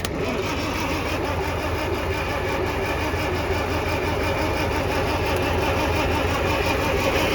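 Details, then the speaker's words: Farmall Cub 140 four-cylinder tractor, sat about five years; starter jumped directly from a truck with jumper cables after the firing order was corrected, now cranks fast and steadily but never fires; cranking no-start. "because it's turning so slow with the damn button I just ran jumper cables from my truck put the hot to the starter and when I ground it out it spins it over really fast"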